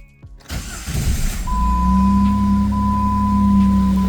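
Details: 2004 Jeep Grand Cherokee after fuel filter replacement: engine catches within a second and settles into steady even idle, faint steady tone, no stumbling; healthy start, no leaks.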